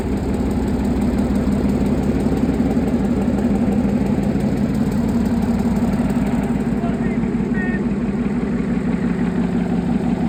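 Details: Replacement engine for a Chieftain tank, first test run out of the vehicle: deep, steady idle with an even, regular beat and no knocks or misses; idles beautifully, healthy engine.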